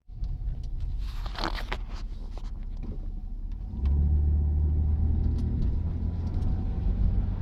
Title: Oldsmobile 88 Rattling Noise in passenger belt area or possibly floor area at shifts